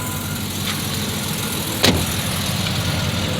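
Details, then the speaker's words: Jeep ZJ started after sitting five months undriven; it fires right up into a smooth, even idle with a steady low hum, one brief sharp click, and no knocks or misses. Normal idle. "I think mine runs cleaner than yours."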